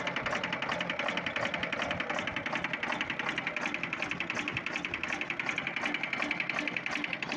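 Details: Volvo TWD121 six-cylinder turbocharged stationary diesel: sharp metallic knocks at about 160 per minute over diesel clatter; caused by a faulty intake valve, fixed by replacing the intake valve and gasket set.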